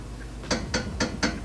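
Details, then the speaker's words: Steering linkage rocked by hand: distinct dull clicks about four a second, noise reproducible with a finger; loose tie rod end, check both ends. "This end, if you didn't know what you were doing, it could make it seem like it was that end, but actually it makes it, you need to check both ends. Don't rule out any conclusions. Literally can make that noise with my finger."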